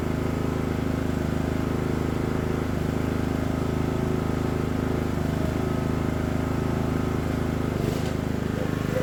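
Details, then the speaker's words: Craftsman LT1000 riding mower just after Briggs & Stratton engine transplant, first start on choke and driving around yard: single-cylinder runs steady and even at fast fixed speed, no knocks or misses; healthy; smoke is spilled oil on exhaust. "okay not bad guys we got a runner we've got the motor the engine transplanted and it does ride"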